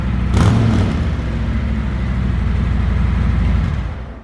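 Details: 2020 Harley-Davidson Road Glide Special, 114ci V-twin, stock exhaust before D&D Billet Cat 2-into-1 install: quick start then deep, loping potato-potato idle about four beats a second, steady and clean; normal.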